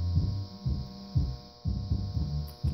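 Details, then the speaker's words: Monitor Audio RSW12 subwoofer playing MP3 music: constant low hum under the bass thumps, unchanged with the beat; mains hum traced with a voltmeter and ESR meter to failed filter capacitors. "but the problem is it has this low hum to the audio"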